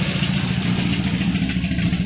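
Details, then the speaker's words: 1973 Triumph Spitfire MKIV 1500 at idle, exhaust: deep uneven lumpy chugging like a Russian tractor; blown head gasket with white smoke and grey mayonnaise in the filler cap. "So anyway, as you can hear, it sounds like a Russian tractor."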